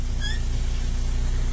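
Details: Ford EcoSport Titanium idling: short high squeak chirps as brakes are applied and released, louder on one side; drum brake squeak from rusty shoe contact points.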